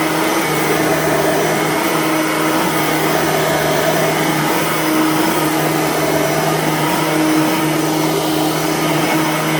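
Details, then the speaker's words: Bissell/Singer 3510 9-amp upright vacuum, somewhat worn, after a new belt and a fresh empty bag, which makes it louder than with a full bag; loud steady high whoosh with even motor hum, normal running. "they're actually much quieter when the bag is full because the full bag acts as a form of sound dampening not so when the bag is empty when you first use this thing with an empty bag it is a screamer"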